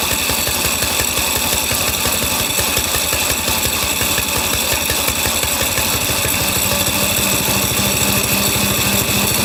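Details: Small single-cylinder engine on a drift trike, started cold in cold weather and warming up. A constant rattly metallic clatter rides over the beat. The chain is loud despite being fairly tight, cause unknown; graphite lube considered.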